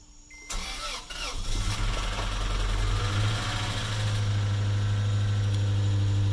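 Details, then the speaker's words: 2009 Toyota Tacoma 2.7, first start after timing chain job, Liqui Moly additive added: catches after short crank, settles to steady low idle with an odd extra tone on top; cause unknown. "that sounds interesting. Maybe even bad, I'm not sure."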